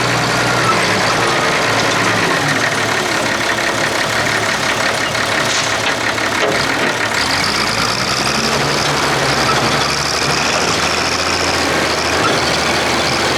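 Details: Diesel front end loader engine working under load: uneven, stumbling exhaust beat, misfire on cylinder 6 of the inline injector pump, cause unknown; it ran fine in the previous episode.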